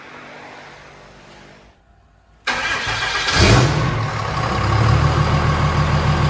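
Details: OBS Chevy truck with swapped 6.7 Cummins diesel, first start after build: fires at once, settles into even, steady diesel clatter with no misses or knocks; healthy idle.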